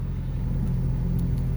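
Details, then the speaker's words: Honda Civic started cold and put in reverse: deep, steady low rumble with heavy vibration, much noisier than the healthy car, nothing sharp on top; failed top engine mount, fixed by replacing it. "hopefully you can hear that rumbling sound that shouldn't be sounding like that when you've took a lot of vibration and it's really rumbly quite a bit noisier than the other one see Ford not an issue stick and reverse and you hear that rumbling noise and that is the engine mount"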